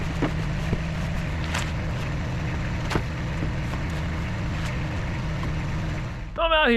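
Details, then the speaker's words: Mercedes-Benz Ponton 190 four-cylinder, sitting for many years, running with no coolant in the system: soft, even idle with no misses or knocks, a few handling clicks around it, called really smooth. Normal idle. "this is a really smooth for Banger unbelievable"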